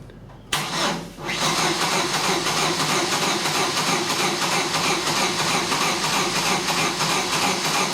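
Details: 2000 Chevy S10 2.2L that died after a downstream O2 sensor swap and won't restart: spins over fast and oddly even with no compression beat, never catching; spark present, compression losses, missing cam signal, broken timing chain.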